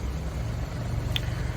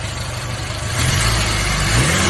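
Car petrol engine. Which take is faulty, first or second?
first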